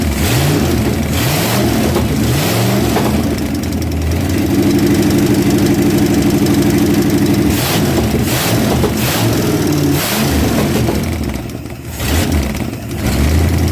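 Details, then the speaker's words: Junkyard 1977 Dodge RV 360 V8 run on the ground after a backfire: fires up and settles into a lumpy idle with a few revs, steady with no knocking; normal idle. "i got this idol kind of but yeah that ain't bad at all"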